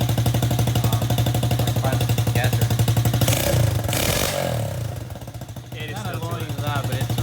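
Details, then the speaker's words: Power Wheels Ford F200 build, hollow slip-on Tractor Supply muffler exhausting up front; harsh, loud, fast even popping barely softened. Loud exhaust from ineffective muffler. "so pop it on and see what it sounds like so there you go it's a slip-on exhausting up front but back here it's honest enough quaintly loud"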